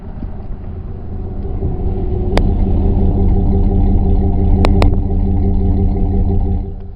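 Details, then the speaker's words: Dodge V6, heard through the exhaust at idle: a deep, smooth rumble with even pulses and no misses, ticks or rattles; healthy purr. "That is what we call a purr."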